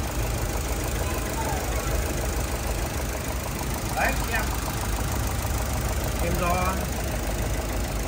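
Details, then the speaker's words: 2012 Chevrolet Cruze LTZ at 229,000 km, brought in for engine knock, after engine work, another spark plug tried: an uneven, shaky idle with a loping, stumbling beat under the engine hum, running unevenly. "Nổ chưa ngọt ngào lắm rồi thử bugi khác xe sau khi làm xong rồi lắp vào nổ được cái này nó không đều máy chết"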